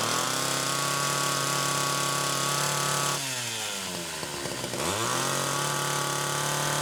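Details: Test run after carburetor repair: steady buzzing idle, pitch sags cutting wood then climbs back cleanly; pulls and recovers well.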